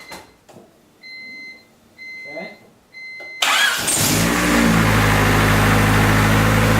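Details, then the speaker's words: Honda D16Y8 rebuilt engine, first start after correcting timing by a tooth and plugging in the idle air control valve: chime beeps, starter cranks, catches cleanly and settles to a steady even idle; starts fine. "so we did was we did timing we switched it by tooth we did the idle air control valve was not plugged in so we're gonna give a shot"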